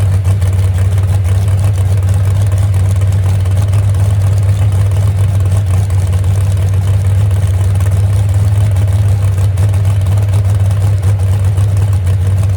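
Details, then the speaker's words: The Moonshiner truck's engine first fired after 10 months of overhaul following a crash, now settled to a deep, even, loping idle with no knocks; the temperature gauge is not working and a radiator leak is suspected. "Well, girl, still sounds good, don't it? That's all it needed right there."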